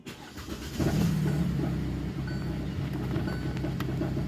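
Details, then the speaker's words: 2018 Hyundai Tucson, about 118,000 miles, loss of power with no check engine light; muffler disconnected at rear, rpm raised. Dull, choked drone persists, so the restriction is upstream, catalytic converter suspected. "so the restriction is still there disconnecting the muffler at the back didn't do anything"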